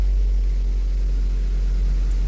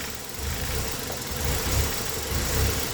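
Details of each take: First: Engine after fixing code P0400 (EGR flow), previously slow to start: deep, smooth, steady idle with no knocks or dips; starts quickly three times in a row. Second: Engine with code P0400: idle surges and sags about once a second in an uneven lope during vacuum-leak tests (manifold pressure watched, water sprayed); the idle changed. The cause was later found to be an EGR valve stuck open.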